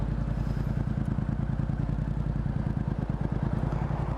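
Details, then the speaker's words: Motorcycle: steady low thumping idle that sags slightly as the clutch reaches its bite point while pulling away; normal rpm dip at clutch engagement. "이게 디지털 터라서 잘 볼 수가 없는데 소리로 들으면은 약간 일정하다 RPM이 떨어지려고 해요 그죠"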